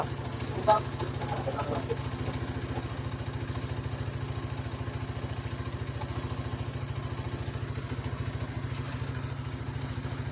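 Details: Rusi 250cc motorcycle after jump-start: steady, even low thump at a relaxed idle without misses or stumbles. Normal idle.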